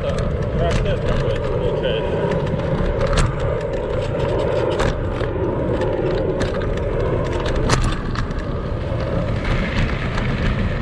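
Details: Kugoo Max Speed electric scooter on sandy off-road terrain, camera on the front stem: constant clattering and sharp knocks with every bump over the riding noise; noise points to the front fork and squeaking shocks.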